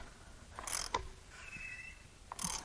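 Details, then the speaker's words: JDM red-top Nissan SR20DET engine from a 200SX, long sat before salvage, turned over by hand with plugs in: harsh scraping squeals and clicks with each pull, no firing; binding from rust, with water found in one cylinder. "i'm gonna have you guys listen to what this sounds like when it turns over because it's not good it's not good at all"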